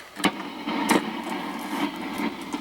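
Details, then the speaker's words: Accutrak VPE-GN PRO ultrasonic leak detector on a small gas leak wetted with water: irregular sharp crackles and pops over a soft hiss, a few per second; adding water makes the leak easier to hear than with bubbles. "sometimes when when there's a leak it's like a it's not static per se it's it's like a little bit of a crackling and um sometimes it'll change too just based on um if you just add like a little bit of water"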